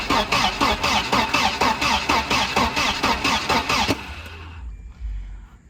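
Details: 1992 Volvo 940 wagon, long sat in woods, hotwired: even starter cranking at about two beats a second for four seconds, never catching; injector pulse seems present, but no fuel is delivered.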